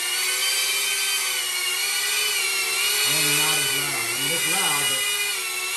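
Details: Diatone Taycan 25 cinewhoop on an 850 mAh 4S battery with a Caddx Vista, after 3D-printed duct sleeves closed the gap between ducts and props: a steady, fairly high whir holding its pitch, no rattle or buzz, quieter than before.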